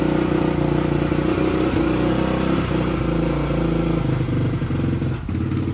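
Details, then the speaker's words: 2004 Yamaha Raptor 660 dual carb, Pro Design intake, K&N filter without airbox lid, full Yoshimura exhaust, on choke: uneven single-cylinder beat stumbling with irregular pops and spits; bad gas, dirty or mis-jetted carbs suspected. Rough running with popping and spitting. "I'm going to start it up it'll run on choke like I said but it just it just runs like crap it kind of pops and"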